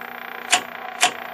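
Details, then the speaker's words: Stromberg Carlson 21TQ television at its first full power-up during restoration, after a failed capacitor was replaced. A thin, steady high-pitched whine from the high-voltage circuit sits over a faint low hum, with two sharp clicks and some noise from the speaker. "some noise coming out of the [Applause] speaker can hear some hi some whining com from the high voltage circuit"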